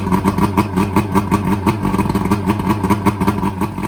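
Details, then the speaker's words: Boat outboard that was half submerged when the boat sank, run two days later after bad fuel drained and fresh fuel added: brisk, even putter at fast idle, no stumbling; running cleanly. "This is the one that I'm worried about because it was halfway underwater. So let's see what we got here. Hey, that one's working."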